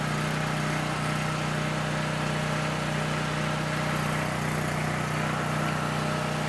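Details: Coleman PowerMate 6560 generator, carb rebuilt but ran only on choke, fixed by putting carb gaskets in correct order: steady even drone, constant hum, no hunting or surging; normal running.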